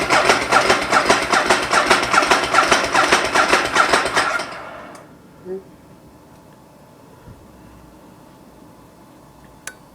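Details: 2008 Ducati 1098 after sitting 4 months over winter, with a new battery fitted: steady starter chug at about two and a half per second for four seconds, then silence; the engine spins but never fires.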